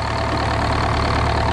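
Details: GM 4-71 two-stroke supercharged diesel, about 160 HP, probably 50–60 years old, Frick sawmill engine, cold, just started, 48 psi oil pressure: steady, even low drone, smooth regular firing beat, no knocks or misses while warming; normal idle.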